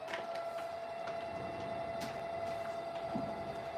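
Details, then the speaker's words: Observatory telescope mount motors run from the hand controller after an ice storm, speeding up when the button is held: clean steady whirring with no grinding or catching; motors survived and sound healthy. "here's the hand controller look at that for the mount all right that works you hear it yeah if I hold it it'll speed up"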